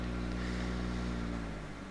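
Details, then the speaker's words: 1993 Honda Integra ZX four-door Japanese model, 1600cc twin-carburetor petrol engine: steady idle lifts slightly in pitch as the AC compressor comes on, a normal idle-up. "you could hear the RPM go up because the AC just came on"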